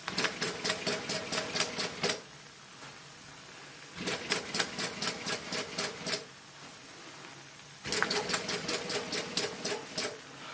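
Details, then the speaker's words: Maxwell Hemmens Birmingham Dribbler steam model, long stood, low boiler pressure: short bursts of sharp chuffs about five a second, each cutting out after two seconds, cylinders priming with water carryover, running rough. "Keep going, you get rid of the water. It's priming because it's been stood for a long time. The second run will be better. Then it dribbles better."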